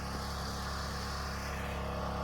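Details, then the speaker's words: Engine running after fitting a thicker, tighter-than-factory spring: steady even note, smooth low hum, no misses, knocks or ticks; sounds strong, possibly revving too high from the stiffer spring. "It kind of sounds like it's running better than good."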